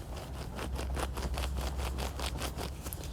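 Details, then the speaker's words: Renault Zoe 5AQ electric motor at 54,000 miles, end-cap ball bearing spun by hand with phone resting on the motor: gravelly, notchy rasp pulsing about twice a second; bearing rough and worn, quite bad inside. "hopefully you can hear that yeah really grally really notchy quite bad inside"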